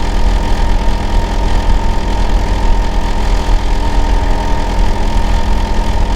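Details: Neighbour's Hitachi air conditioner outdoor unit, running year-round and especially loud in summer and winter, heard during winter, keeping the owner awake at night: a heavy, steady low drone with a deep hum and pulsing throb, very loud and even.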